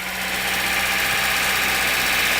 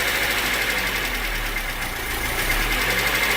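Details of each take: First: VAZ engine after DIY repair of an engine knock, microphone at the front, timing and underbody covers off, alternator belt not fitted: steady idle with light harmless valve chatter; the earlier heavy clang is gone, engine healthy. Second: VAZ engine after fixing crankshaft pulley knock from a missing/worn key, heard from front, alternator belt not yet fitted: light quick valve chatter over steady idle, no clank left. Valve tappet chatter.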